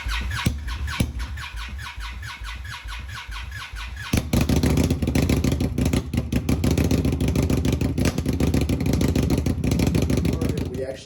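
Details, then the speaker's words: Indian Scout Bobber fuel-injected motorcycle, cold start: starter churns steadily with the top cylinder only occasionally firing and sputtering, never running; common cold-start problem, repeated attempts eventually drained the battery. "it's so close dude it's that top cylinder just once a while fires"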